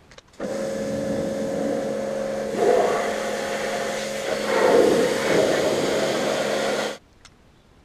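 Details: New Kärcher pressure washer on a farm: steady motor-pump hum with a hissing jet that firms up when the trigger is squeezed, then cuts off cleanly; strong push, healthy.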